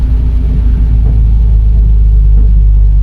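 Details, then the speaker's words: 2008 BMW E83 X3, held in third gear in manual mode on throttle let-off, after extensive repairs: heavy low droning rumble with loose pulsing beat while coasting; strong driveline vibration, cause not yet found though a transfer case was proposed. "that's a nice strong vibration. There we go. That's what we wanted to see. So, that's the vibration we have."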